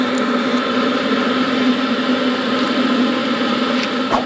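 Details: Hcalory Toolbox 2S portable diesel heater running on high, about 266 degrees at exhaust muffler, warm air output; even steady hum with fan rush, no surging or knocking, running normally.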